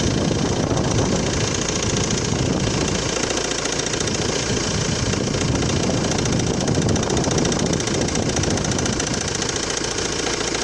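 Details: Cold-start idle with an uneven knock of about three to four beats a second under the engine note: the crankshaft damper pulley (accessory drive pulley) has come apart. Delaying replacement can in some cases lead to bent valves.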